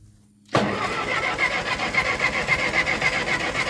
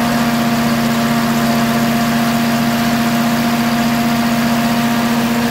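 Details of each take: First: Ferguson TO20 tractor after gas tank and left front wheel bearing repair: steady starter churning at three to four turns a second, never catching; cranks but won't start, fuel in the bowl, fuel valve cracked open, cause unconfirmed. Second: Ferguson TO20 tractor after gas tank and left front wheel bearing repair, started after checking fuel bowl and spark: strong, even running with steady hum and firm low rhythm, no knocking or misfire; running well.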